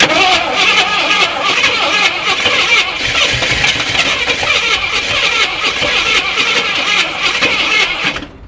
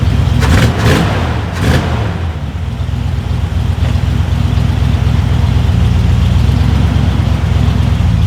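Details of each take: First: Long-sitting Jeep Cherokee Chief with probably bad old gas and oil pressure showing, fuel gauge near empty; fast steady starter whirr for about eight seconds with no firing before it stops; no fuel reaching the engine. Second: Long-sitting Jeep Cherokee Chief after fresh oil and charged battery; after a few clunks, a steady even low rumble at a slightly fast idle with no misses or knocks; idles smoothly, idle could be turned down a bit.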